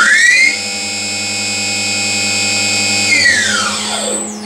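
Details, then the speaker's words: Novakon Torus Pro CNC mill spindle under Mach3, commanded to 6000 rpm with the usual acceleration settings: clean whine climbing fast to a steady high pitch, then falling quickly on spin-down; normal, quick ramp up and down. "okay nice and quick both up and down"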